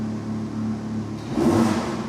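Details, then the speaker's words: 2020 Audi R8 V10 held at light revs: steady low idle lifting into a buzzy, rattly roar from the exhaust; rattle was fixed by fitting a new exhaust. "Hey up. Got an Audi R8 2020 in for a rattle. Let's get in it. to just hold a little bit of revs on. Yeah, it was pretty obvious."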